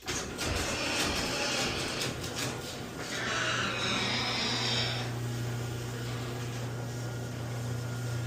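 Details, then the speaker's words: Garage door after lubricating the metal panel fold connections: the opener motor hums while the door rattles and dry panel hinges give a drawn-out metallic creak. The chain should also be checked, and more lube goes on the connections. "Still getting some creaks and groans. Make sure that chain's good. Then also the creaks and groans are going to be coming from these connections over here."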